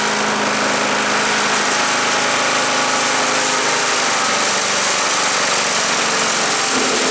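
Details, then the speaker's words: Earthquake chipper/shredder, small petrol engine, shredding limbs: loud harsh roar whose revs sag as thicker branches feed in; bigger ones went through poorly, owner suspects the knives need sharpening. "I don't know these bigger ones they didn't want to go through very good but it was chopp them up"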